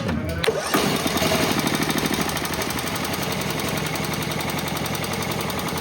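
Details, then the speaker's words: Small petrol engine on a used sawmill still running loud and steady with uneven stumbling misfire beats and stopping after main jet enlarged; owner wondered about lean fuel, then suspects weak spark from a bad ignition coil, to be replaced. "The condition is still the same... damn Is this sound and stopping a symptom of thin fuel?"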